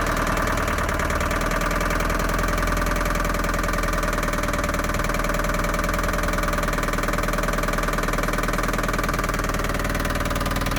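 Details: Long-stored Land Rover Series III diesel just restarted on a new battery: loud, uneven idle with a hard knocking clatter about three per second; idles on its own but revs poorly, owner suspects top-end knock, not confirmed.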